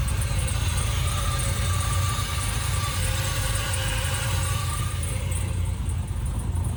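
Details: Freshly 6.0-swapped Camaro fires and settles into a deep, steady rumble with even beats and no misses; smooth, healthy first-start idle, fuel pressure questioned during cranking.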